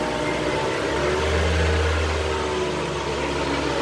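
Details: Mitsubishi Lancer, bad wheel bearing diagnosed with a stethoscope, traction control switched off. Steady low droning hum that swells and fades slightly as the wheel spins, no knocks; worn wheel bearing.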